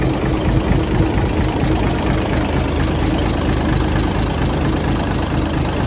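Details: 1978 International Transtar II cabover diesel, first start after sitting 3 years during restoration: deep, low rumble settling into a fairly even idle; healthy run, a leaking heater core line noted afterward.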